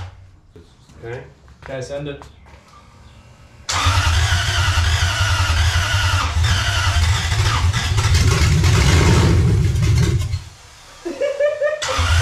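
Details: Lexus 1UZFE V8 first start after 6 years standing, ATF in cylinders, new wiring, fuel lines, pump and return line: brief crank, catches, deep steady rumble with a few blips before shutting off.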